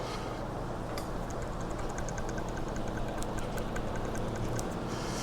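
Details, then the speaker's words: 2017 Ford F350 4x4, removed tie rod end rocked by hand near the mic: irregular dry clicks and gritty crunches, loose and knocking inside; worn tie rod end, being replaced with drag link. "But this end right here is where our knocking's coming from. It's very crunchy, loose inside, and I can actually feel it knocking around in there."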